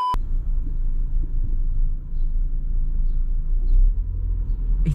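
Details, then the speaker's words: Fiat Punto driving slowly while turning after repair to fix a front knock (CV joint next suspect if it persisted): only low road rumble and tyre noise, no clunks or rhythmic knocking; knock fixed. "this could be so nice if it doesn't knock anymore are you joking me i've actually fixed it we fixed it"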